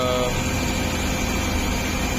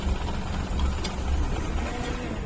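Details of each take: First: CNG-fitted car that had been shutting off when switched to CNG. After the fitting work it is started and idling on petrol with a steady, even hum and no stumble: normal running on petrol. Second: CNG car idling unevenly, lumpy with irregular dips; engine misfires and stalls, head opened showed all valves, guides and seats burnt, guides need replacing.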